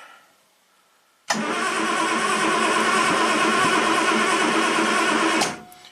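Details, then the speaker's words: 1967 Triumph GT6 parked since 1999, fresh oil and fuel, after starting fluid: steady, even cranking whirr for about four seconds that never fires; crank no start, owner unsure of compression, oil light went off. "Alright, after a little bit of starting fluid, I don't know if we have enough compression, but the oil light did go off, so it did pump up enough for the oil light to turn off."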